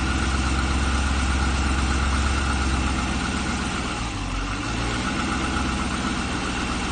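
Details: LS3 V8 at about 40,000 (units unstated) starting and settling into idle with a hollow, regular knock about three times a second: piston slap.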